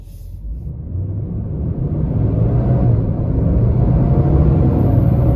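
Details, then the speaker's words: 2022 Nissan Titan pulling through the gears with the viscous fan clutch stuck locked: deep, steady roar swelling with speed and drowning the exhaust; intermittent failure that the dealer did not find under warranty. "sticking [Music] and it's still sticking look at the odometer locked up the whole [Music] time"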